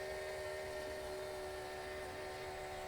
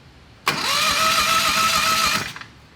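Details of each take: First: Homemade dragster, turbocharged Harbor Freight 670cc V-twin, first run on nitro-methanol with carburettor, after a no-spark problem: engine runs on its own with a steady, slightly uneven drone and two even tones on top; it has picked up fuel and is running. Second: Turbocharged Harbor Freight 670cc V-twin dragster on nitro methanol, plugs gapped to 0.070: quick high-pitched starter whir under two seconds, never firing; cranks but no start with no spark, suspected coils or magnet, not confirmed.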